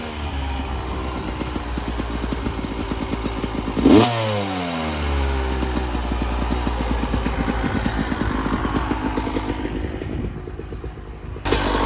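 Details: 1996 Yamaha YZ250 two-stroke after carb tune-up with factory stock carb settings (previously weird low-end idle, suspected pilot jet), still a little cold at about 13 degrees: crisp buzz climbing cleanly through a sharp rev and settling back, no bogging; healthy.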